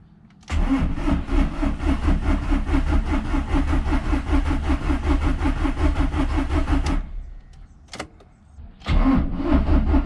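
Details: Volkswagen Polo TDI after a repair attempt, hoping the fault was fixed: starter spins the engine at an even beat about six seconds without firing, then briefly again. Crank no start; owner next plans to unplug the injector connector, crank, then reconnect.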